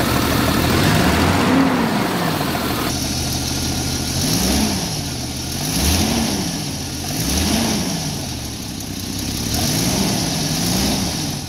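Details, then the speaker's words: 1990 Jeep Cherokee XJ Renix 4.0 inline-six that had knocked badly at idle, after flex plate fix: smooth, steady idle with gentle rise and fall in pitch and no knocking; normal. "well that is a relief isn't it that engine is sounding a hell of a lot better than it did when I first started the vehicle up"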